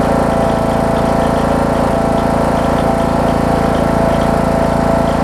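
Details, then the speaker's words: John Deere D110 mower, Briggs engine, warm start after an engine rebuild prompted by a loose flywheel magnet; loud, even single-cylinder drone at steady speed with no misfires or knocking, normal running though a bit noisy. "you can hear it's a little loud you hear a little bit of uh i mean there's nothing atypical of a briggs"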